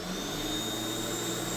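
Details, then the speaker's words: Ryobi corded electric lawn mower, about 3 seasons old, started by plugging in, pressing the button and pulling the handle down: steady high-pitched motor whir with smooth fan rush, no knocks or grinding; healthy motor spinning up. "And just to start it up, it's really simple. Just plug it in like so. You want to push the button, and then you press the handle down."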